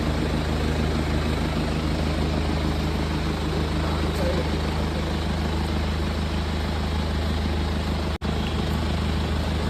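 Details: BMW Z4 petrol engine idling with an uneven, loping chop as one cylinder misses; the fix is ignition coil replacement: engine misfire at idle.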